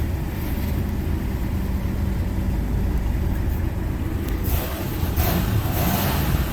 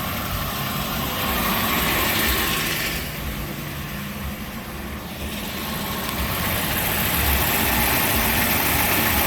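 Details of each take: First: 1988 Buick LeSabre 3800 V6 after harmonic balancer replacement and crank position sensor gap set: smooth, even rev with no knock or clunk, the earlier drive-pulley clunking noise gone. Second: 1988 Buick LeSabre 3800 idling with accessory belts removed: regular knock nearly four per second persists; points to failing crankshaft pulley/harmonic balancer (vibration dampener).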